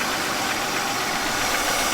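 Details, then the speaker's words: 1999 Buick Century at idle: a loud, steady airy sucking hiss over a quiet, rough idle. Owner suspects a vacuum leak from failed intake seals; hose seal looks poor. "Do you not hear the loud sucking sound?"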